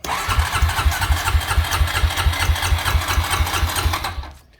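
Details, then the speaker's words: Honda Rancher 350 ATV (2005 or 2008) with a cheap aftermarket carburetor fitted about a year earlier: starter churns in quick, even pulses for about four seconds without catching; hard to start but runs fine once going; carburetor suspected, to be replaced. "it became hard to start once you get it running it was fine but it's really difficult to get it started so this is what it does [Applause] crank it forever and it won't start"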